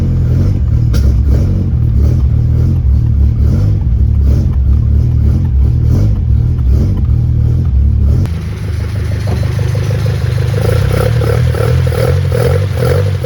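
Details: 1971 Toyota Celica RA20, 18RG on twin Weber 40 DCOE carbs, long stored, cold start with no choke connected, plugs and wires just refitted: steady but slightly lumpy uneven low thumping, no misses, no smoke; carbs still need balancing and tuning.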